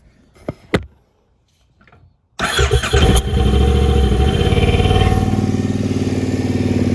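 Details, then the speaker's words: Triumph Speedmaster twin starts and settles into a deep, lumpy idle with a harsh, ear-ringingly loud bark from its original Triumph pipes; recorded before swapping to used pipes. "Before I swap them over, I'm gonna start it up so you can hear what it sounds like. It's loud."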